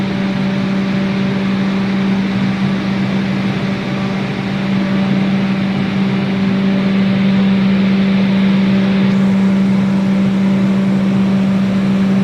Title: does anybody know what that loud noise coming from the 3000 Class Hybrid Train is